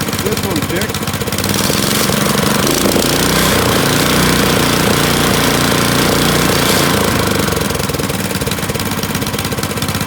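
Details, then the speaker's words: Honda tiller engine that surged at idle, after cleaning the suspected plugged idle air jet under the idle screw: even, busy idle about 200 beats a minute without surging; idle circuit now works. "it's another informational video of how to keep your tiller or any honda engine from surging"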